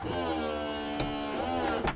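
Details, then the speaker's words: BMW convertible top cycle: steady electric pump hum while the roof moves, sharp switch click near the end, no strain or grinding; normal top operation. "and then now your bonnet or your back piece is going to start to go up."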